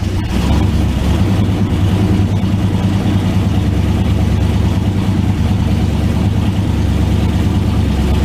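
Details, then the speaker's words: 1991 turbo Mustang after low-mount turbo scavenger pump install, idling while checked for leaks: steady, even low rumble with no knocks, ticks or hunting; idles smoothly, sounds healthy. "Most of it was just me checking leaks while the car was idling, so you didn't miss a whole lot."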